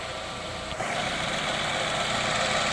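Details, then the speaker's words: 2017-2020 Nissan Rogue 2.5L after engine replacement with a roughly 30,000-mile engine, cranked before a test drive: steady even idle, smooth hum, light top-end whirr, no knocks or ticks; sounds really good. "You can listen to it here, and then we'll take it for a test drive. And this engine sounds really good."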